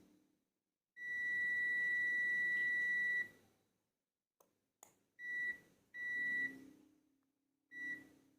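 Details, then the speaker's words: Energized 4-/5-pin relay with the multimeter continuity probes on switched pins 1 and 2: one long high beep, then several shorter ones. The contacts are confirmed closed after the coil click. "ketika terlihat FIF antara Detik Dan ini titik 1 dan 2 ini akan bunyi akan menandakan kalau dia terhubung"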